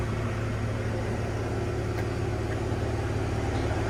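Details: 1970 Ford F100 six-cylinder idling just after the charging fault was found: low, even hum with a steady beat and no knocks or ticks. It purrs, quiet like a sewing machine; normal idle.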